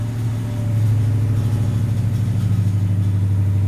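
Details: Gen 3 392 Hemi V8 swap on Aces EFI, hot idle target 900, just after first startup: deep, steady burble with regular pulses and no misses or knocks; healthy idle.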